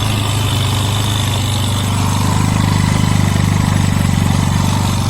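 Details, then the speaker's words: Yamaha Mio 125 with oil in the radiator, hard starting and fast battery drain, after new spark plug, holding two spots by hand: unstable buzzy idle, engine revving up by itself then sagging back; cause not yet found. "นี่ผมต้องเอามืออุดไว้นะครับไม่ให้มันดังเร่งเองแบบนี้ครับครับผมนี่ตรงนี้ดังกับตรงนี้นี่ครับผมเอามือขุด2ที่เงียบครับแต่เครื่องมันเร่งๆอย่างนี้ครับ"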